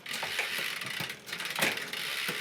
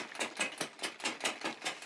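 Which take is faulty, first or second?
second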